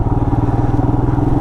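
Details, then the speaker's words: 2020 Royal Enfield Himalayan single-cylinder at about 460 miles, ridden off road on forest fire roads, mic inside the helmet; even, deep thump of about seventeen beats a second with no ticking or clatter, sound becoming more throaty; valves checked and needed no adjustment; normal running. "I don't know, I feel like I have, what, 460 miles on it now, and I feel like the sound is getting a little bit better. It's getting like a little bit more throaty."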